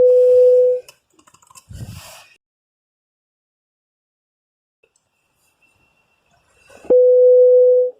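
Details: Opel Astra H CD30 radio during divorcing/pairing via OP-COM with car security code, display already accepted: two long steady beeps about six seconds apart, meaning radio still in delivery state.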